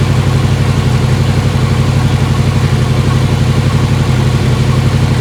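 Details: 1955 Chevy Tri-Five barn find with V3 Vortech supercharged V8: loud, steady open-exhaust burble at a fast even idle, no stumble or belt squeal; runs right now.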